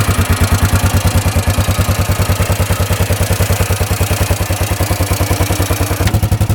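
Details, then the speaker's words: 1998 Yamaha Grizzly 600 4x4 ATV after fixing its 10–15 mph speed limit: quick, even exhaust beat of about three pulses a second, clean under load with no stumble. Now easily going 55 on the test drive. "Oh yeah, that's the way it should be running. Easily going 55 now. That is awesome. Completely fixed. Running awesome."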